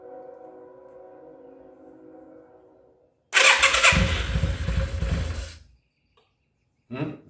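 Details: 1994 Yamaha Virago 535 V-twin with a single-carburetor conversion, first start in 10 years, on choke: after a quiet stretch it catches with a sudden loud, ragged roar, runs unevenly about two seconds, then dies. Throttle cable tension is pulling the slide up.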